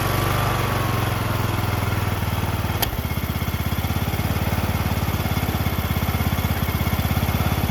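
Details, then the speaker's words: John Deere LA110 lawn tractor, rebuilt Briggs 19.5HP engine with new carb, idle screw just adjusted: steady, even idle thump, no misses or knocks, clean and settled; normal idle after rebuild. "adjusted idle screw. Got her dialed. That's idle dial."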